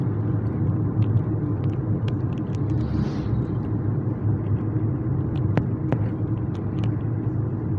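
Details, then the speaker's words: Kia Cerato after replacing the stabilizer bar link with an original part, driving on irregular pavement: steady road rumble with only light ticks and no knocks or clunks from the front; the front suspension knock is gone. "E aí graças a Deus o problema foi sanado não escuto uma stock toque nenhum tô passando aqui numa via Que por sinal ela é um pouco irregular"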